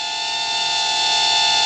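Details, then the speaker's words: Temu XD1 Pro mini camera drone with 600 mAh battery in flight: steady high whistle holding one pitch over rotor hiss; unexplained whistling noise, owner wonders whether the battery is going low. "It zips around here like nothing. I don't know what that noise was. It made a noise. Is that the battery going low, or?"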